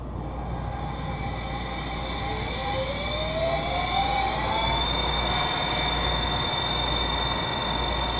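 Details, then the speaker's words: Boyar Schultz 612 surface grinder, newly reassembled and run through a VFD: pitch climbs smoothly at spin-up, then a thin steady high whine; owner suspects worn spindle bearings. Wheel also slightly out of balance. "I think the the bearings are going to need to be replaced cuz they have a a bit of a wine to it"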